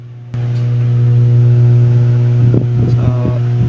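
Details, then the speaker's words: Ibanez guitar amplifier at power-on with no input: a loud, steady low hum, traced to a failing power amplifier stage that persisted through other repairs. Finding: mains hum from faulty power amplifier stage. "so ang trouble nito is may Ugong meron siyang haming kahit wala naman naka input sa kanya"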